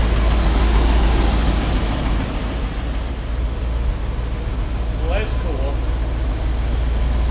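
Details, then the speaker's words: Ford F750 haul truck stock gasoline engine restarted after fuel pump overheating, won't run past idle: low, quiet, even rumble with steady beat, no knocks or misses, shop noise around, shop full of smoke; healthy idle. "Quiet. Yeah, it is quiet."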